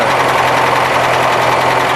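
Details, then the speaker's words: ZAZ-968, warmed-up engine at idle on 10W-40 oil; fast, even ticking in time with the engine, owner suspects the tappets despite valves readjusted 3-4 times and three tappets replaced. "Вот он стучит, его слышно. Тик-тик-тик-тик-тик-тик-тик-тик-тик. Тик-тик-тик-тик-тик-тик. Что это такое? Это вот, по идее, толкать."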